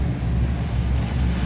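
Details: 1962 Impala restomod, rebuilt 454 4-barrel 410 hp big-block V8, headers, dual exhaust: deep even rumble at steady 960 rpm idle, no misses or knocks; oil pressure 85 psi, temperature 98, 14.4 volts; smooth and healthy.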